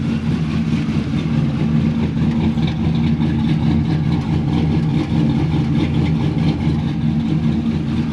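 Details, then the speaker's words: 1996 Impala SS 6.0 with BTR Stage 4 cam and 3800 stall converter, during remote tuning: idle coming down after startup, deep lumpy loping chop over steady low rumble; normal cammed idle. "See, now it's kind of idling, so I'll let you guys hear it."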